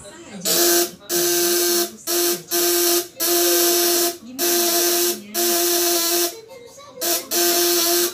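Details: 12V 1.5 kg contact-breaker (platina) shock unit under a 200–1000 W load test: a shrill, even buzz in repeated one-to-two-second bursts at steady pitch. The breaker vibrates cleanly and is properly set.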